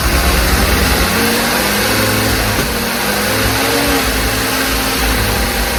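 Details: Willys CJ5 F-head with a new Universal Daytona 4134 carburetor: fast, uneven idle that won't drop back. Owner suspects the throttle is sticking open.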